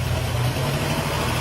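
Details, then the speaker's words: Jeep XJ with freshly rebuilt 4.0L engine (full rebuild kit, new cam) on its first start after install; deep, steady, even idle with smooth low rumble, no knocks or misses: engine runs cleanly. "so as you can hear the first start went incredibly well the motor sounded phenomenal"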